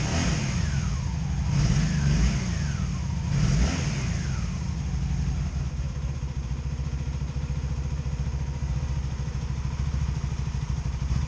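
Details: 2002 Honda Magna VF750C being rebuilt, at idle just after a restart with one side hot and one cold: uneven idle with irregular popcorn popping on one side, a cylinder missing. Plug gaps now to spec, wires new; cause not yet found.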